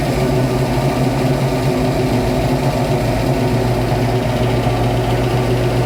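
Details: 1966 Mustang Fastback's new 347 stroker V8 (T5 transmission) on its first start after the build: a steady, high-pitched hum held well above normal idle with no dip. The fast idle comes from the untuned carburettor; the owner needs to adjust the throttle/idle screws.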